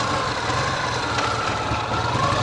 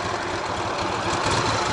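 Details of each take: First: Ural sidecar motorcycle boxer engine, cold, riding under load; faint uneven tapping over the exhaust beat from the left cylinder, right cylinder fine, source unclear, rider wonders about connecting rod; cylinder knock under load. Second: Ural sidecar motorcycle restarted after a lunch stop on a touring trip: starts well, steady even boxer idle with a soft uniform beat, no knock or ticking; quiet at idle, the knock only suspected under load.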